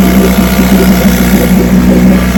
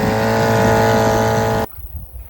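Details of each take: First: Vintage outboard (JV's motor, restored then repaired) on its Monday 5-minute test run; even, fast buzzing run for about three seconds, then a clean shut-off, running perfect. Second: Vintage outboard back from California after shipping, on a barrel with fresh fuel, high and low needles 3/4 turn out; fired on the first pull, ran about 30 seconds then died; steady buzz cuts out abruptly; the seller suggests it may have been damaged in shipping.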